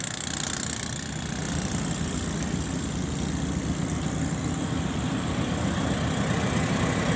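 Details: Locomotive RGE 20 5117 hauling the 350 Dn Chaman passenger, stationed at Baleli railway station: deep steady idle rumble with an uneven beat about four times a second; strange noise of unclear cause.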